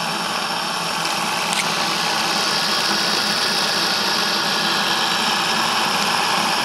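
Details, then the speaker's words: Saito T2DR steam engine on B2F boiler, alcohol burner, lubricated before running: steady soft hiss with light even chuff, no knocks or rattles, running smoothly and quietly. "uh one more thing I'd like to mention as we wait for this uh steam to the engine's running real nice nice and quiet"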